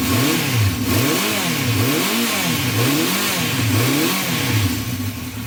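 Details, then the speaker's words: 1974 Honda CB350 Four, choke at 50% then off: revs surge and fall back about once a second and never climb cleanly; poor revving off choke. "Should be revving up. Should be revving up like that when it's off choke, and"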